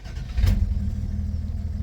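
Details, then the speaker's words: Fuel-injected Dodge D100 pickup just after a new PCV valve; short crank then catches at once and settles into even low idle with no stumble. Normal start. "It starts really smooth. I gotta give it that. It starts right up. It is fuel injected though."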